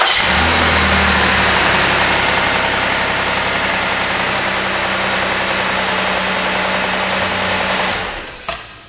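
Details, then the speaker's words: Start after replacing one ignition coil and spark plug (check engine light on in rain, suspected cracked plug insulator or coil): engine catches quickly, settles into smooth even idle, then switched off; runs fine. "so the car started and ran fine we know there's nothing wrong with this one"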